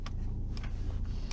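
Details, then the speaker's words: Audi Q5 55 TFSI e Quattro S-Line plug-in hybrid (2.0 TFSI four-cylinder petrol plus 140 hp electric motor): sharp isolated clicks about half a second apart over a low hum when the gear selector lever is touched; owner unsure whether normal or an intentional warning. "Il y a également un petit bruit pour le levier de vitesse que j'ai remarqué, je sais pas pourquoi ça fait ça."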